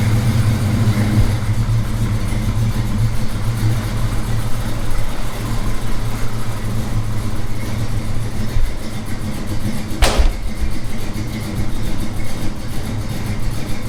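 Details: 1978 Chevy C10 V8 at idle: deep, steady rumble with a lopey but consistent beat and no ticks or knocks; engine sounds healthy, though owner wants the carburetor adjusted.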